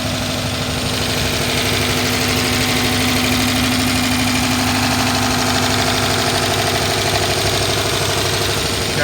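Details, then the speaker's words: 2011 Dodge Charger PPV 5.7-liter V8 after about 30 minutes running, accelerator unresponsive; steady tapping/clacking over an uneven idle with a steady misfire, unimproved since startup, side undetermined. "It's been tapping just how you hear it right now from the minute I started it, and it has not improved. It also has a steady misfire."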